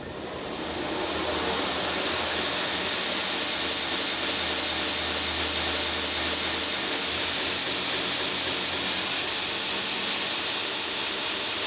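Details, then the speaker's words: Newly installed 2x72 belt grinder on its first test run, speed controller at 20 of 50 (about 40% speed): steady even hiss of the belt with a faint motor hum underneath, no knocks or rubbing; runs smoothly. "okay it's done uh runs pretty good so i'm gonna go ahead and start it up"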